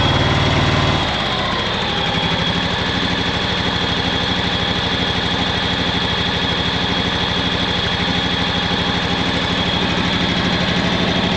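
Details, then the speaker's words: 2011 John Deere Z910A zero-turn mower, Kawasaki FX651V twin-cylinder engine: uneven, lumpy idle of about three beats a second with skipped beats, like one cylinder dropping out. Misfire suspected; the ignition coils and spark plugs were later replaced. "Got something going on there. Sounds like it's missing a cylinder or something. That doesn't sound good."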